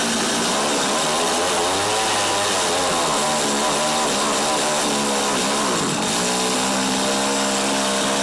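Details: Tecumseh TC300 two-stroke Eskimo ice auger, compression about 90 psi, mixture screw set to one turn out: buzzing at high speed, pitch wandering and dipping then recovering; mixture possibly still not right.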